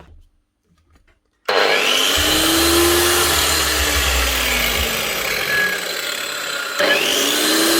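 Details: Hikoki G23SC4 wall chaser with some blade play, suspected worn top bearing in the head (worse after hours of use when hot), before repair: clean start, steady high whir with no rattles or grinding; motor and gears fine, normal running.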